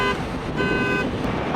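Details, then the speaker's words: Tesla Cybertruck during hitch towing failure test, hitch pulled to about 8,000 lb by excavator with frame cracking: loud repeating two-tone chirp over outdoor background as the truck's anti-theft alarm triggers. "It's moving. It's moving. The alarm's going off. 8,000."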